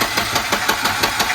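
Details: Long-stored red Volvo 240 turbo, fuel system just rebuilt, cranked via a remote starter button: steady starter churn, even pulses about six a second, never catches; long cranking without firing.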